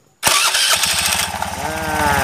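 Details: Honda Beat scooter after a no-cost fix of a slipping starter pinion gear; short starter whirr, engine catches at once and settles into an even, steady putter; normal engine start.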